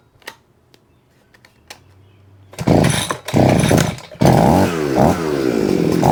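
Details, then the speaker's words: Vevor two-stroke hedge trimmer after fixing stuck blades (pin pushed back in and locked); pull-start rattles, then the engine catches and revs up and down in clean bursts and the blades now move: normal running. "It's working. Yeah, it's working now."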